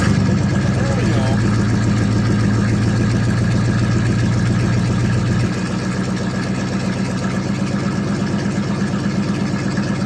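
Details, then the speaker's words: 1979 Chevrolet C10 Bonanza Big 10 with 305 two-barrel V8, cold start after sitting about a month, pedal pumped; catches and settles into a steady, slightly lumpy low idle, even once fired. Cold start settling to idle. "but it is a runner and a driver though sound like a rip roaring race car"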